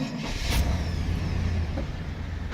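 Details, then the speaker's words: 1988 Chevy C2500 Silverado, 95,000 miles, big motor: brief heavy clunk of the old-style starter, then engine catches and settles into a deep steady low rumble. Normal start. "I love this clunky old start that they used to have for these big motors just just a clunky start rather than a smooth start"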